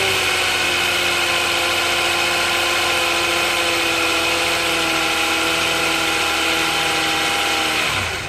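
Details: 2010 Hyundai Santa Fe: steady high whine over the engine running, dropping away as the engine shuts down; source unknown.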